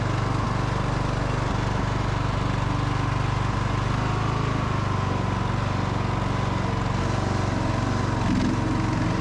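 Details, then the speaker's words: Free riding mower running with safety features bypassed and a rigged kill switch, driving and mowing under load; constant low even drone with no misses or rattles; the engine runs cleanly. "man this thing mow's pretty good really i'm happy with that"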